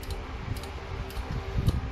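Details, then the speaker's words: Fujima MMA 315 welding inverter at switch-on: sharp relay clicks about twice a second over cooling fan hum while it keeps blinking; suspected power supply IC and PWM control board faults, unconfirmed. "It blinked for a long time. You can also hear the relay constantly clicking, so it's opened before we do anything."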